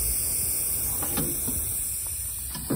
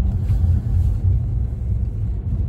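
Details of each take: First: 2015 Bentley Continental Flying Spur, 11,000 miles: short bursts of hissing as air is blown into the air suspension strut and escapes where it shouldn't; leaking air strut needing replacement. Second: Bentley Continental Flying Spur after air shock replacement, road test at 38°F: steady low road rumble over bumps with no clunks, knocks or rattles; suspension quiet.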